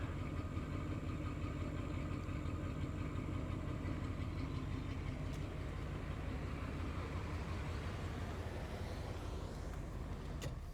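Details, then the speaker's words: All-original 1972 Imperial LeBaron, about 13,000 miles, 440 V8 with TorqueFlite 727, warm; low smooth quiet rumble at steady idle, no ticks or knocks: normal idle. "Got to love your Chrysler. No other starter sounded like that."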